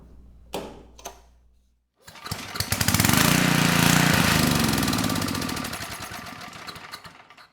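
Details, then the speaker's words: Tecumseh HM100 10hp single-cylinder engine on a Western Hemisphere G60MG1000TW 6,000 W generator, restarted after adding fuel: fires and runs a few seconds at a steady fast beat, then dies. Low-oil shutdown with switch light on. "We just got a low oil shutdown. So, keep your eye on that switch right there. It's also a light. So, when it shuts down due to low oil, that light illuminates."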